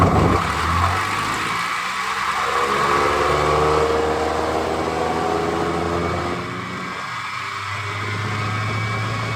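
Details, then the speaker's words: Rebuilt hardwood floor edge sander, hotwired on the bench before gear rework: loud motor roar with a pitched whine drifting up and down; gear noise under power, not as bad as expected, gear suspected. "Not as bad as I thought, but not great."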